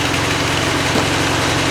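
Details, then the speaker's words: Miller Big D2 welder generator on low idle, test after reassembly with a rheostat whose ceramic stop is broken: steady, even low idle with a smooth unbroken beat and no misses or knocks; runs normally. "here's the test I have it just on low idle I just want to see if something's going to"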